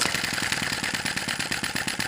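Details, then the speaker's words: Sai Hu V1-45 flame-licker vacuum engine (brass cylinder, piston, flywheel) warming up during start attempts: quick uneven puffing chuffs, eight to ten a second, almost catching; flame possibly too small, being adjusted, cause unconfirmed. "okay I've been doing this for a few minutes I reach back here on the cylinder I can feel that it's warming up we're getting very close to running keep trying to find the sweet spot for that fire"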